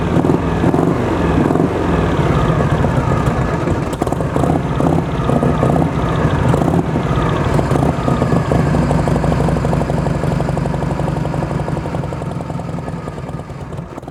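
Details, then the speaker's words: 1973 Harley-Davidson FLH Shovelhead, about 41-42 years old, near-mint and for sale, idling: deep, loping V-twin beat about three pulses a second, steady and strong, no knocks or rattles; healthy running engine. "Så lad os starte den op, og lad os lytte lidt til den her shovelhead, som er en 41-42 år gammel, og se hvad den kan."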